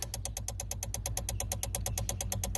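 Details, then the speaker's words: 2007 Honda Civic with a newly installed replacement engine won't start: rapid, even clicking about eight per second over a low hum from the blue main relay under the steering wheel, caused by a forgotten engine-head ground; fixed once grounded. "it won't turn that clicking noise comes from this relay right here blue relay right there that's the main relay"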